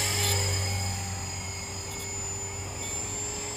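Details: Trex 450 RC helicopter in flight, fitted with a Common-Sense RC TR450-35 3500kv motor and 13t pinion: a thin, constant high squeal over the steady rotor hum from a bad main shaft bearing.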